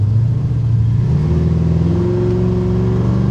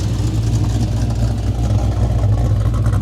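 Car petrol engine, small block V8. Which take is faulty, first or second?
first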